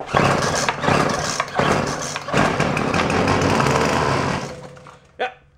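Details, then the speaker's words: Craftsman two-stroke string trimmer, fuel dribbled in, choke off: pull-start catches and buzzes rough for about four seconds, then dies; has spark but starves for fuel, primer bulb or broken internal fuel line suspected. "it will run but it's got a fuel issue it's that primer bulb"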